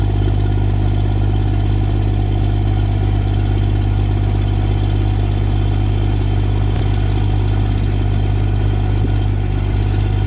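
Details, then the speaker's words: Cummins diesel truck idling after cold start at -5 with grid heaters plugged in; even, steady idle with constant low throb, no misses or knocks; normal cold idle. "Started up pretty easy there. I don't think I really need to test starting with the grid heaters anymore, because it started fine even at like -10, -16,"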